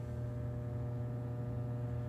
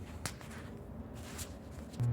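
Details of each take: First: Plate transformer, live, 230–250 V taps, recorded on a phone: steady low buzzing hum of constant pitch as the transformer is energized; loose core lets the laminations buzz. Transformer hum from a loose core. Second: EPD / Peter Dahl plate transformer with changeable primary and secondary taps, at power-on: silence, then a steady low mains hum of even, unchanging pitch. Normal transformer hum.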